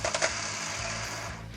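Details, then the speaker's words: 2005 Ford Territory no-start: the starter is energised by shorting across the solenoid with a screwdriver and gives a harsh, dry, scratchy whir with no smooth hum. It had not worked at all before, possibly due to the brushes, and is worn and abused, so it will be replaced. "let's move that the road to touch can you hear how dry the starter is"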